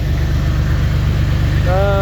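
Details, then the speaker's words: Jeep XJ idling right after alternator replacement (it had been squalling at startup): low, steady idle with an even pulse, no belt squeal or chirp; now charging and running smooth, normal idle. "Oh, she's charging up. Running nice and smooth."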